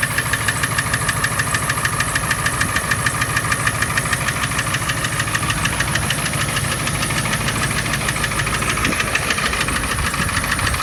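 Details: Ford 7.3 Power Stroke diesel at idle: a sharp, steady knock about three per second over the diesel clatter, from cylinder #4. The knock stays on #4 after swapping injectors 2 and 4 (stage 1.5s, 6,000 miles); injector knock suspected, with Marvel Mystery Oil and Hot Shot Stiction Eliminator added.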